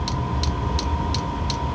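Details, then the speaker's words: Chinese diesel heater in ice shack, restarted as fuel worked its way to the motor: low rumbling burn catches, fuel pump ticking evenly about three a second; normal combustion light-up. "It's getting there. Alright, she's starting to growl."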